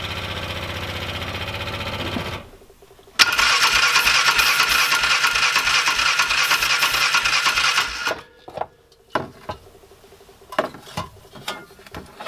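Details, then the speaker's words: 2005 Polaris Ranger 500 UTV non-runner, cranked in neutral: the starter spins at about three chuffs a second for five seconds, never catches, then just clicks, with no spark. The choke may have been on; a mechanical or electrical fault is suspected. "Not getting spark. Alright, so that didn't work."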